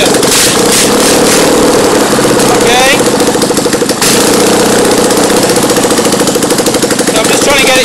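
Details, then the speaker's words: Fiat 650cc engine running on a bench: uneven, lumpy idle with an irregular beat as one side's cylinder does not fire every time while the other fires regularly; misfire, cause unknown, possibly electrical. "idle, it's a bit erratic because the cylinder on this side, as you can hear, maybe, is not firing every cylinder. So it's kind of making it so it's not running at full power."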